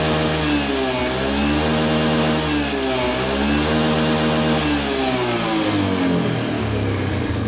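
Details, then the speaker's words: Honda Scoopy PGM-FI scooter with thick white exhaust smoke: rough, uneven clattering through idle and light revs, beat following engine speed; mechanic suspects worn piston or possibly valve seals, piston to be replaced. "Suaranya kasar, terus keluar asap putih tebal. Itu kemungkinan piston ya, atau enggak seal klepnya."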